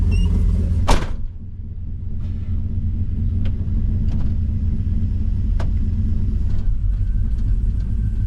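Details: 1984 Chevrolet Squarebody truck after a cam swap, idling right after a replacement brake booster fixed its vacuum leak: deep, even V8 rumble at a steady idle with no hiss or stumble. It runs clean with no vacuum leak.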